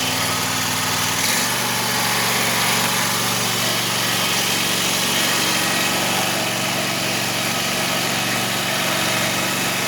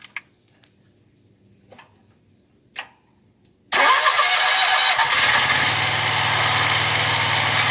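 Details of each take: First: 2021 Wright Stander ZK mower, 800 hours, after hydro pulley replacement: running with blades engaged, faint constant whir over engine; spindles tight, balance checked, better but still noisier than expected, cause not found. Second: Wright Stander ZK mower just after hydro pulley replacement, first start: quiet, then the engine fires and picks up a steady hiss and hum with no knock or squeal; runs pretty smooth.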